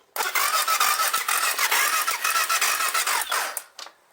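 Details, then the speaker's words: BMW F650GS left standing 5 years, with fuel pump and injector issues, first start attempt with carb cleaner and a clacking at the bottom: the starter turns steadily about three seconds without firing. Fuel delivery suspected. Cranks, no start. "Right, so nothing's happening so far. Let's give it a bit more encouragement."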